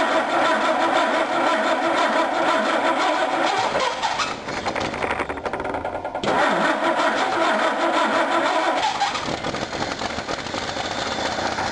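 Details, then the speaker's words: Dodge Dart carbureted engine started on a little gas poured into the carb before engine removal: rough running with an uneven knock about three beats a second riding over the engine; knocking inside, cause not pinned down yet. "Well, I could certainly hear it, but I hope you could too. So, now that you know what the knock sounds like, let's get her ready to pull this motor."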